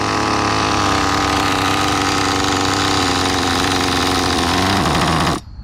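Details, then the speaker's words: CEN CT5 1/10 nitro touring car, 20+ year old chassis, first start in a long time, idle raised after tuning: loud buzzy high revs with blubbery uneven edge, then cuts off; still rich, bogging, high-speed needle needs leaning. "Still a little bit on the rich side. So the low has a high-speed needle, right? Yeah, we gotta lean it out a little bit."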